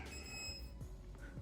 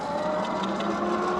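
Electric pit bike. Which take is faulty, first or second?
second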